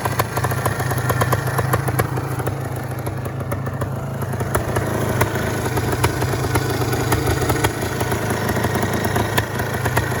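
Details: Bruit moteur 400 DTMX (SM) engine; steady idle with even ticking beat and firm low thrum, no knocks or misses; engine in fairly good condition.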